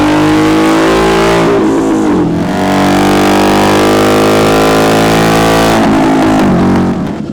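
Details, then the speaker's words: Harley V-Rod on the dyno at about 50% throttle: revs climb unevenly and the exhaust stumbles and breaks up, with nothing on the top end. Ignition misfire. "There's nothing on the top end. no, it's breaking up so bad. It should be nice and clean. I'm only doing like 50% throttle."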